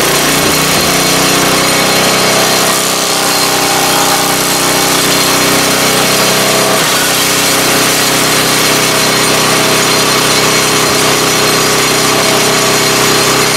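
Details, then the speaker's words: 3.5 HP Tecumseh engine after tuning the main jet screw, driving a wood chipper. It holds a strong, steady high-pitched drone under the chipping noise, with no surging or hunting as wood feeds through. Normal running under load. "As you can hear, the engine is now running very well. I didn't use any complex methodology to figure out how to tune the engine."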